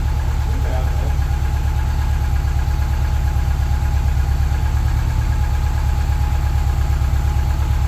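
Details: Subaru 2.5RS rebuilt flat-four, first run after reinstall, warming up, radiator not yet refitted: deep, even thrum at steady idle, no tapping or rattles; sounding really good, normal idle.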